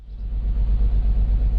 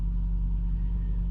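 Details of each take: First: BMW E53 X5 with M54 straight-six, check engine light on: lumpy, uneven idle with a deep thump about three times a second, vehicle rocking; scan shows cylinder 6 misfire. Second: BMW E53 X5 M54 straight-six idling smooth and even after repair of a rough-running misfire with check engine light, codes erased and rescanned; running silky smooth, problem solved.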